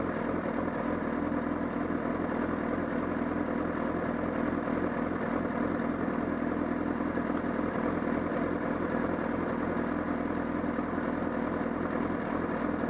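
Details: Honda CBR1000RR at the Sportsland Yamanashi circuit: steady idle with an uneven flapping beat, roughly three or four a second, from near the engine; the flapping grew louder and torque was lost, cause unknown.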